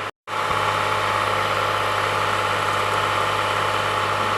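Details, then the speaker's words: 2015 Toyota Sienna AWD 3.5 L held at 2,000 rpm gives a steady whirring hiss and whine; the belt tensioner is very noisy and the alternator a little noisy, while water pump, AC compressor and wheel bearings check okay. "I can feel and hear that's very noisy here the water pump and AC compressor is [Applause] okay [Applause] the alternator here is a little bit noisy too"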